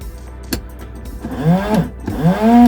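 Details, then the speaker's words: Early-2000s Reliant Royalty Eddie Stobart Supervan during revival electrical checks: two short whirring bursts rising in pitch, holding, then dropping as each spray ends; washer pump works normally. "see it on the screen the washer pump works that's good"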